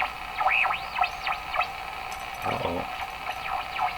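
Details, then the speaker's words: Westinghouse 535 radio after replacing its last two old capacitors, on an outdoor antenna with no signal generator running: sweeping whistles glide in pitch over hiss; the set is oscillating, producing heterodyne beat tones. "All those heterodyne tones that you're hearing, beat tones. What am I doing wrong here? So I have no signal generators running, nothing going on here, just this messed up radio here."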